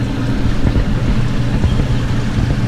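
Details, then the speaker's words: Hoshizaki self-contained ice machine after reset, freeze cycle starting: constant low hum with watery wash as the water pump circulates and evaporator pipes get cold; normal water pump circulation. "These pipes are getting cold and the water the water pump It's regulating now."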